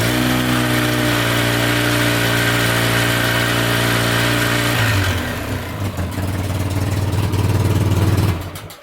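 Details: 2006 Polaris Sportsman 700 after water pump seal replacement, warming to operating temperature: steady, even idle with clean low hum, then quick throttle blips that pick up and settle smoothly; no more drips from the weep hole.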